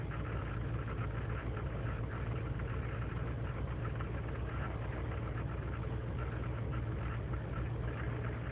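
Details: 2003 GMC Sierra Z71 5.3L V8 (non-flex fuel) idling unaided after overnight in single-digit cold: deep lumpy pulse with irregular stumbles; lean and misfire codes, owner suspects intake manifold gasket leak; erratic until warm, then runs fine.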